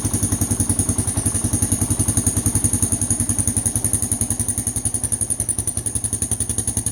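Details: 1988 Kawasaki KLR650 single after about five years stored in a shed, fuse replaced; even, steady thumping idle with a regular beat and no misses or knocks; runs smoothly after sitting.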